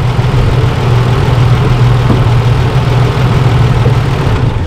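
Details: Holden Rodeo (2005 or 2008, stated both ways) brought in for a misfire, idle raised, engine oil found low: deep, steady, even idle with no stumble or miss throughout. The engine runs smoothly.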